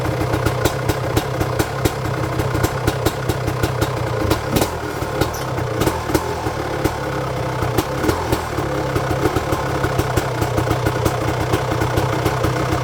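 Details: 1999 Honda CR250R two-stroke after a new exhaust gasket and springs fixed a front exhaust leak: crisp, uneven popping idle with sharp exhaust cracks and no hissing leak; quieter than before; normal healthy idle.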